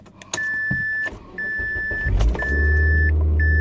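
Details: Mazda Protege5 after fixing sputtering, shaking and stalling misfire: dash chime, quick crank and catch, then steady, even idle; checking whether check engine light clears.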